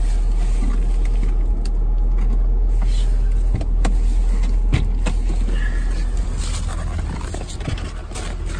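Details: VW GTI, new with wrapping still on, cold start at -28 C (windchill -40 to -45 C): deep low rumble settling into even idle, slight cold unevenness; normal cold start.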